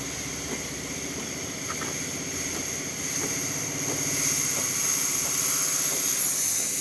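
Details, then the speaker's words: DeLonghi Magnifica after full service and descaling, steam function test: steady rapid buzzing pump pulses under a growing steam hiss, even as it heats; pump healthy. "It's going to shoot a little bit of water out first, but then after a while, once it heats up, it's going to start shooting steam. As you can see, you can hear it pump."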